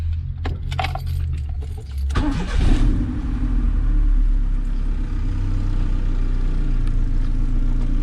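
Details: Honda EF/CRX after a 5-pin main relay conversion: a few light relay clicks, then a short crank, quick catch and rev flare before settling into a steady idle; starts fine (check engine light on, owner suspects miswired speedo).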